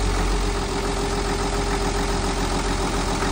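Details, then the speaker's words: Perkins marine diesel on a charter boat after replacing a failed lift pump and bleeding the fuel system: steady low chug at even idle, slight sputter from remaining air, otherwise running smooth and healthy. "Nice. Running beautiful. I think she sounds real good. There's a little sputter. Running nice and smooth."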